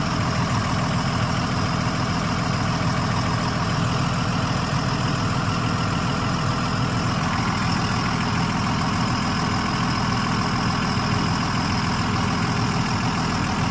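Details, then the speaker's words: 2001 Freightliner XC chassis motorhome (Allegro 35IP) after air dryer/filter service, diesel idling: steady even idle, no hiss, only rear relay valve sound; normal, no air leaks. "all right all right no leaks that I can tell um just the uh the relay valve for the rear there so it's like a relay thing so that's what you can hear right now"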